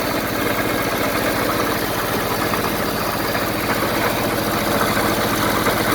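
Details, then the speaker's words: 1974 Honda Civic series 1, 1.5 L engine idling after coolant flushing with the pressure tester removed: steady idle at about three pulses a second, even firing, no knocks or misses; good compression, sounds healthy. "there's a lot of compression the engine sounds healthy the engine sounds healthy enough guys"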